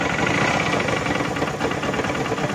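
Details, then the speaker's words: TMX 150 motorcycle idling with a loud, rattly knock despite costly prior repairs. Cause is a crankshaft bearing that is loose even though it is a new replacement, plus a washer found installed reversed. "oh nagkalugkugan sige patay na napakaingay nga naman nga sige"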